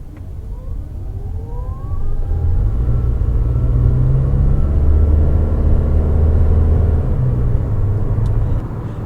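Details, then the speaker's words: 2021 Toyota Venza hybrid SUV pulling away. A faint rising electric motor whir, then the petrol engine kicks in with a smooth hum once speed builds and more power is needed; normal hybrid behaviour. "so there we have the electrical engine or the electric motor kind of whirl and then the engine kicked on once we got to a certain speed uh when we needed more power and off we went"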